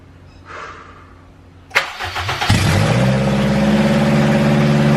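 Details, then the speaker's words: Honda EM1 Civic with K-series engine swap, just wired with conversion harness and fuel system done, first start: starter whirs briefly, engine catches first try and settles to smooth even idle, no misfire or knocking. "yeah bro bro this is what i'm talking about did it first try bro oh my god"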